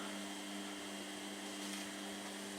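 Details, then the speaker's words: Hotpoint Smart 8 kg washing machine after replacing its noisy drain pump: the new pump gives a smooth, steady low hum with even tones and no rattle or grinding, drains much faster and appears much quieter. "it drained a lot faster and it does appear to be much quieter too"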